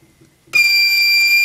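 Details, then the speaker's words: BSA R10 SE PCP air rifle being filled toward 220–230 bar: quiet, then sudden steady high-pitched whistle holding an even tone as air flows in slowly; normal air-fill whistle. "you might hear it whistling and making noises it goes I'm really slowly as you do it"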